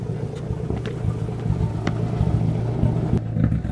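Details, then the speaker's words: Straight-piped Nissan S13 with a partial EGR delete (owner suspects EGR or a possible misfire), a helper stepping on the throttle: loud, deep, raspy exhaust blips up and settles cleanly with no stumble or popping. "I'm gonna let you guys hear it this thing sounds crazy hey boo can you do me a favor can you step on it for me"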